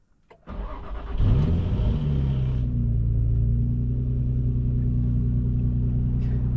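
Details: Nissan 350Z after rocker cover gasket, sensors and hoses, knock sensor and plenum spacer install (to fix rough idle); quick crank, brief rev flare, then smooth even idle with no misfire; normal start and idle.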